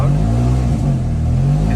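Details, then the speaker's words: 1985 Ford Laser KB GL throttle-body fuel-injected engine started after sitting; strong rev with deep boomy exhaust note staying loud, despite new exhaust system; loud exhaust. "there we go now it does have a new exhaust system but it's still a little loud"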